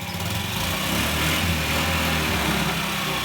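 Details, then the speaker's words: 2012 Honda Ruckus scooter that sat for years, first start of the day after idle jet carburetor fix: fast single-cylinder idle from the automatic choke idling up then down, steady and strong. "it fired right up now that was a bit of a rough start because um this is the first time i've started it today and that's the automatic choke making the engine idle up and then idle down"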